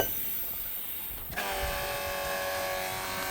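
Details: Cummins ISX 871, hot, cranks with an even, high starter whine but does not fire at all. The owner thinks it needs an ECM; this is not confirmed.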